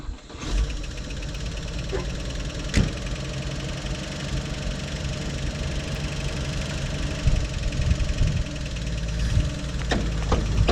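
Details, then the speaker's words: Old car on its first drive, carburetor not adjusted, no blow-by: engine runs steadily with light sharp ticks now and then; a clicking from the front end every time it circles, cause not yet found. "first drive isn't assist uh got some kind of noise coming from the front end though got to figure out what's clicking every time it circles"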